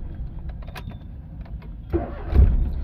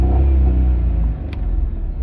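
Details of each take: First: Maruti Alto K10 that had long cranking, code P0340 (cam sensor circuit) and revs stuck near 4000 rpm instead of 6000, after the fix: short crank, then it catches at once and settles into a steady low idle with no stumbling; normal start. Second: Maruti Alto K10 petrol with DTC P0340 camshaft position sensor circuit fault, long cranking before starting, low pickup: engine revs with a steady drone then sags back, RPM capped near 4000 instead of reaching 6000; cam sensor circuit fault.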